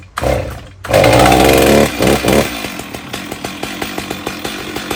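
Fires right up, revs hard briefly, then settles into a steady idle of about four even pops a second, running fine.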